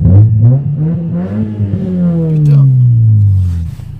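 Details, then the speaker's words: Car driven and revved, heard from inside: deep, booming exhaust drone that swells and falls with the revs, far too loud. Excessively loud exhaust; gearbox shifts smoothly. "je suis vraiment content de cette voiture malgré le bruit qui est trop fort à mon goût"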